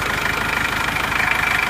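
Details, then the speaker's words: Isuzu Panther 2.5 diesel that shook on old, unreplaced engine mounts, after engine repair: even, regular diesel clatter at steady idle with no lumpy beats or shaking; shaking was engine fault, now normal idle. "Nah setelah mesin kita perbaiki itu walaupun mesin tidak kita ganti itu hasilnya sudah halus seperti ini"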